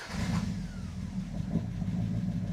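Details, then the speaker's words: Chrysler V8 idling just after starting following an oil change, with a light, fast valvetrain tick over its low rumble until oil reaches the system. "But you did hear the tick. The tick was definitely there until the system lubricated itself and then then it was all right."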